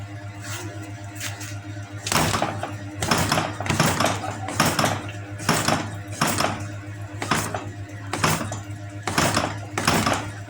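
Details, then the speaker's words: Honda Beat ESP scooter bounced over rough road: dull thuds about once a second that sound like the rear shock but come from a detached engine hanger rubber knocking the frame. "Nah jadi suaranya seperti itu Pak pokoknya suaranya seperti suara dari area shok belakang ketika di bawah Jalan suaranya jeduk-jeduk"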